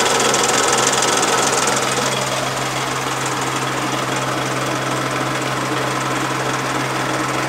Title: Charade 85 Strange noise